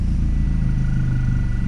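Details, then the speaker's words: Toyota Celica ST165 All-Trac, warm in closed loop, no check engine light, owner investigating stumbling and a suspected clogged catalytic converter: steady, even low idle with no misses, knocks or hunting. Normal idle. "i mean she sounds good"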